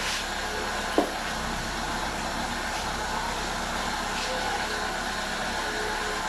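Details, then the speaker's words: Mitsubishi Lancer at idle after lowering idle speed screw from about 1020 to standard 800 rpm to fix rough idle: smooth, even idle with no hunting, radiator fan whoosh heard, normal. "So, now you can see the stability- the sudden drop probably you can hear the radiator fan is working and that is normal."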